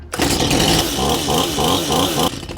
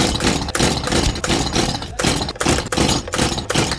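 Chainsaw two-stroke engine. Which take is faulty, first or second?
second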